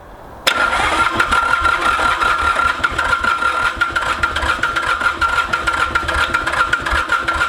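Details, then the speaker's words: Mitsubishi K3D diesel in a Ransomes Bobcat mower, unstarted about nine years, glow plugs jumpered, owner suspects low compression or too much fuel, possibly head: steady starter whir with even compression beats at brisk cranking pace, never fires; cranks but will not start. "I'm getting a little suspicious that we don't have enough compression here but even without compression it shouldn't run run like crap but it should run"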